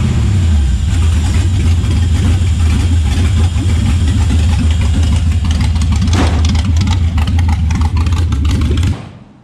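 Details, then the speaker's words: LS1 V8 truck running after wrong firing order corrected, following fire damage and over-fueling issues with a new regulator fitted: deep, even rumble with a quick blip of revs, all cylinders firing cleanly; normal idle and revs. "for some reason the firing order was out so he plugged fixed a few things there and fired it up and holy that's the sound i wanted not um not what we're getting before"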